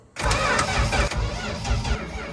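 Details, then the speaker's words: 1964 Dodge D100 truck, sitting since 1996, cranked via a hot-wired ignition switch: quick, even cranking with a whirring Chrysler gear-reduction starter whine and steady compression pulses. Normal cranking; the engine appears to have compression. "I told you it's gonna have that Chrysler starter sound, dude. It sounds like it has compression."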